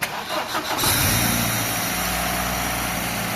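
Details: Vectra 2.0 16v petrol engine cranks briefly, catches cleanly and settles into a smooth, even idle after the timing was set and the broken timing-belt tensioner bearing was dealt with; normal start and idle.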